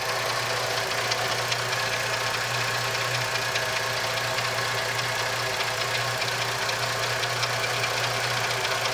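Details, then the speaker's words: 2004 Jeep Liberty Limited 3.7L after replacing both valve covers to fix an oil leak. Steady, even idle with a light regular tick and no misses or knocks, no leaks, and only brief initial smoke from the valve-cover work. Normal idle. "all right guys so overall it's it's running great there's no leaks anywhere"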